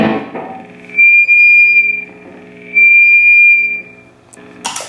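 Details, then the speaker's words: Guitar through amp into Universal Audio OX Box with overdrive on: loud steady high whistle near 2.5 kHz over the notes, cutting in and out; attributed to a really long speaker cable: high-pitched feedback squeal. "What I found this to be, if you run a really long speaker cable from t"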